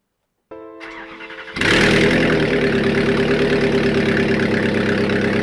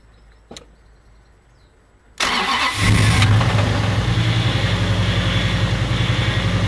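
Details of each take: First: Replacement Toyota 1UZ turbo V8, first start after an engine swap with the oil system primed: the starter cranks about a second, then it catches and settles into a strong, even run. Normal engine start. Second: Toyota 1UZ turbo V8 in a car, in neutral, after rattling on track: fires and settles into a busy idle with a regular rapid knock over the exhaust beat. Big end bearing failure, blamed on poor, hot, wrong-grade oil; metal found in the oil.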